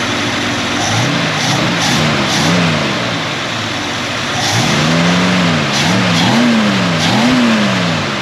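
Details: AMC 258 straight six in a 1946 Studebaker truck just fitted with a cheap eBay Chinese BBD knock-off carburetor: first start on choke, high even fast idle with smooth steady hum and small speed swings; normal fast idle.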